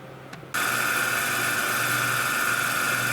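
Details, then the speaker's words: Grinder 3 wheel head after lubricating the spindle: spins up to a steady even hum with a faint constant high singing tone, about half its former volume, no knock; solar ceiling fan audible in background. "Okay guys, grinder 3 up and running with a gut full of lube. It still sings, but the song is only half the volume it used to be."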